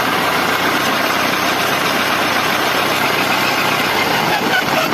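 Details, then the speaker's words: Honda Bros 150 motorcycle idling with clutch lever pulled: loud, even clattering rattle from the engine that stays constant; mechanic suspects a problem in the clutch housing, possibly a loose internal bolt touching the casing, not confirmed. "Quando ele aperta o a embreagem, tem um barulho terrível aí, Aldo, tá parecendo que tem algum problema na campana aqui."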